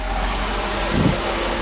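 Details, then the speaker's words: Mercedes V8 after fuel distributor repair (glue removed, main diaphragm replaced; three of eight cylinders had gotten no fuel), cold start off: steady, even idle with smooth low hum, no misses or knocks; runs beautifully. "runs beautiful hopefully this is this rain is going to pass but I have to close down for a second"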